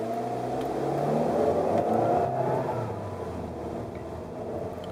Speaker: and that whining noise is uh prevails through the entire range of Gears with the transmission it's a constant whining sound which I would consider abnormal